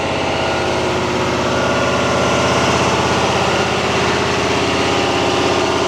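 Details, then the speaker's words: 2022 Chevy Silverado 2500 HD L5P Duramax diesel, forced stationary DPF regen via Foxwell HD500: steady even clatter at raised idle, RPM and exhaust temperature climbing higher; healthy engine. "What this is doing, it's bringing that RPM up, it's bringing the exhaust temperature of the gas, everything up. It's gonna raise it, see how it's going even higher?"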